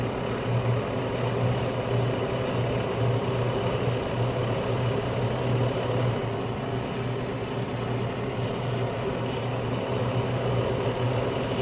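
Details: Carrier Infinity 96 (58MVB-080) gas furnace heating on low stage, with the blower now back on pushing warm air through the house: steady low hum and smooth airy rush with no rattles or scraping; normal low-stage heating with blower running.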